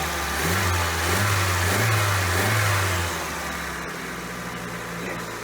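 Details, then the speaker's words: 1988 Toyota Corolla after new replacement carburetor installed, not yet fully warm: engine revs then settles to an even but slightly fast idle; high idle, carburetor idle speed needs adjustment. "It's idling a little high and it's gonna need some adjustment, but I think we have just about done it."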